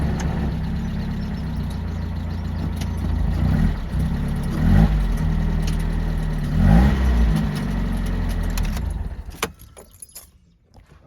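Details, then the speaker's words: 1993 Mazda Miata drift car after the clutch failed while drifting; it will only crank in neutral. Rough idle with a loose, uneven rattle, two short revs, then shut off; snapped clutch springs are suspected, not confirmed. "would assume that's my clutch those are your your fins what's that what are they called i have no clue springs i think oh they snapped they went they and they're rattling in your clutch bro"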